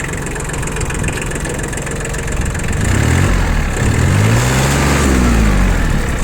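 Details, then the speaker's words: Shibaura P21F mini tractor diesel, 772 engine hours, started after glow-plug preheat with clutch pressed: even, steady idle chug, then a smooth rev rise settling cleanly, no knocks or misses. Normal idle. "Видим, что все отлично, все прекрасно, то есть все работает ровно."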